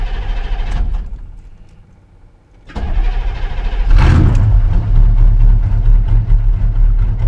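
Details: Chevrolet square body truck after new dual fuel tanks, fuel pump, lines and tank switch: short crank, catches at once, brief surge, then steady even idle; healthy start.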